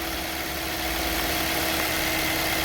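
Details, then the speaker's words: 2013 Toyota Corolla 1.8 16V Flex with CNG, 144 hp, automatic, after installing new alternator to replace one with seized fixed pulley: smooth, even idle, no belt noise. "novo marcha lenta barulho nenhum instalou agora"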